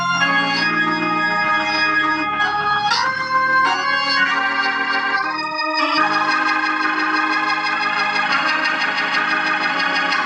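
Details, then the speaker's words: Organ chords come through full and clear, no crackle, buzz or break-up, on the tube amp after replacing cheap 0.047 µF 1600 V and 0.1 µF 600 V capacitors with Cornell Dubilier caps; tubes not running hot, amplifier ready. "everything sounds good looks good brother Matt I believe you your amplifiers ready"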